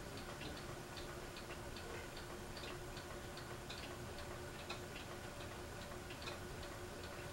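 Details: Fasco Vanity Fair ceiling fan with a broken flywheel working loose on the shaft after a repair attempt: steady light ticking about twice a second over quiet fan hum, slight wobble.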